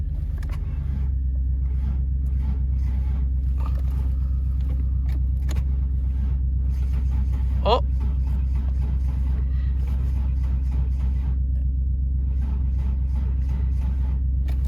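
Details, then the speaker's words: Ford Falcon manual station wagon farm car, sitting with no working fuel pump or ignition: steady slow cranking with brief uneven catches but no run. The owner suspects a dead fuel pump or weak battery power. "it wants to there was a little bit of a Gallop there but yeah we're so close it's just the fuel pump I think fuel pump shot"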